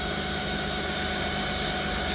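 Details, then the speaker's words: 2008 Jeep Grand Cherokee 4.7L 4x4 idling with a nearly fully charged battery under a carbon pile load of about 50 amps: steady high-pitched alternator whine, attributed to failed diodes. "listen to that thing whining now we know this battery is like pretty much fully charged"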